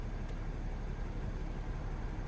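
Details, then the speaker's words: Mercedes ML350 W164 after repair of a radiator fan that always ran at full blast, engine restarted with AC on: quiet, low, steady idle with no fan roar; the cooling fan has stopped and the engine idles normally. "So it was kind of going around, but I think it was just possibly from a first, maybe the ECU kicks in a little bit. The AC is on as well anyway, so possibly that's why. But the fan is no longer running."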